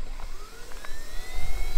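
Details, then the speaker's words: RC jet car using a jet turbine taken from an RC plane, running on paraffin mixed with jet oil, first start-up: a whistling tone climbs steadily as the turbine lights and spools up over a low rumble. A clean, successful start. "The car was running. Success. A very big milestone for the project complete."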